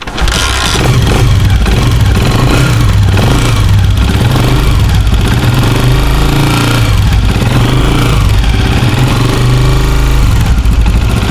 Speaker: आवाज़ सुनी आपने कितनी ज़्यादा बुरी है। इस आवाज़ के लिए आप किसी भी मैकेनिक के पास जाएंगे तो आपको बोलेंगे कि आपकी बाइक की केम गरारी न्यू डलेगी, लेकिन मैं आपको बताऊंगा कि कैसे ख़त्म होगी।